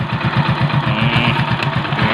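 Steady, even idle pulses with a low thrum and no knocks or rattles; the engine sounds like it is running normally.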